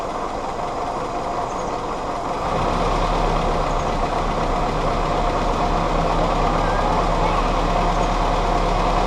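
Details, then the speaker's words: Willys CJ2a Jeep with Kaiser L134 Go Devil four-cylinder, original carburetor refitted, vacuum advance just reconnected (it had been dying on throttle): steady idle firms up and grows slightly louder, no misses or knocks; vacuum system helped. Owner suspects possible head gasket leak. "put some more water in it looks like that vacuum system really did help"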